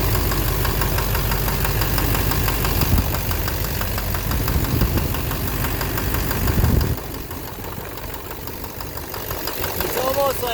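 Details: 2009 Silverado 3500 Duramax LMM diesel dually, 59,900 miles: loose, uneven knock of three or four beats a second over a rough idle, rising with revs; owner suspects the bottom end. Oil analysis shows no abnormal wear metals; knock intermittent since 57,500 miles.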